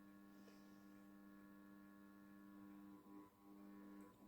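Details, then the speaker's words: Hornby R30317 0-4-0T D tank model locomotive starting slowly under low power on an HM2000 controller; quiet steady electric hum at one low pitch with faint wobble as it creeps. "so I'm going to slowly start you'll hear the click just humming a little bit of movement there"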